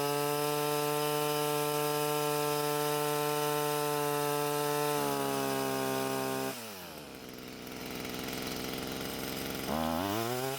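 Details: Stihl string trimmer, small two-stroke, before exhaust clearing: steady low-pitched buzz revving up sluggishly, lacking power from a blocked exhaust outlet; throttle response and speed much higher after clearing.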